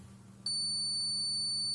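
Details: Rotex RHM 125K 125 W mixer, multimeter continuity test of 220 V power cord and input filter: clean steady high-pitched beep just over a second over quiet room hum; conductor intact.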